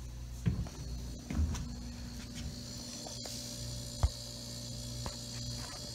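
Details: Mini/dorm refrigerator, compressor would not start: after replacing the PTC start relay and run capacitor on the side of the compressor, a relay click is followed by a steady low hum without surging; compressor starts and runs evenly.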